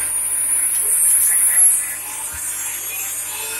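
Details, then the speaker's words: 2.2 kW water-cooled CNC spindle motor (ER20 collet, 220V, inverter) on a hybrid pantorouter, running unloaded at 24,000 rpm after a 5–6 second start-up, coolant pump audible: thin steady high whine over soft pump hum; normal spindle run-up. "I have a startup time about 5 or 6 seconds, and now you can see it's running 24,000 speed, and I think that you can still hear me quite well."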